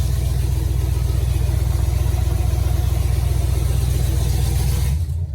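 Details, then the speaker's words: Chevy Tahoe V8 with newly installed Speed Engineering long tube headers; quick even ticking keeping pace with idle pulses over the rumble, exhaust air leaking past the header at a broken bolt; exhaust manifold leak. "so the heads are secure but there is air leaking past and it's causing a ticking sound which sucks it sounds terrible"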